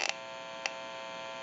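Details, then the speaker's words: TP6A military rotary desk telephone at initial checkout: pressing the button on its open receiver amplifier gives a steady buzzy hum with sharp clicks. It is prone to static and atmospheric interference; electrical hum from the amplified pickup. "since it's an open amplifier it is prone to any static interference or noise in the atmosphere and we're going to go ahead and press the button on the amplifier you may hear a little bit about electrical hum"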